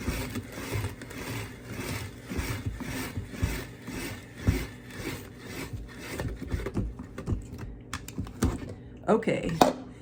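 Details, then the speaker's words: Cuisinart Food Spiralizer cutting a whole russet potato after the holder was switched from the spiky setting to the round-groove setting: steady rhythmic rasping about twice a second as the blade cuts cleanly, with no catching. Normal slicing. "but like it's really going through these things fast faster than what I could chop obviously great love it"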